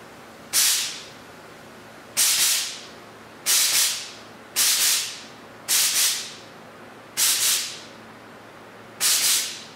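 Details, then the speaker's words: Lister air compressor running briefly with the regulator set: sharp hissing bursts repeat about every second and a half as air escapes where the pressure regulator's automatic drain plug came out of the bottom, an air leak from the regulator drain. "all right so what that was my pressure regulator the automatic drain in the bottom had come out"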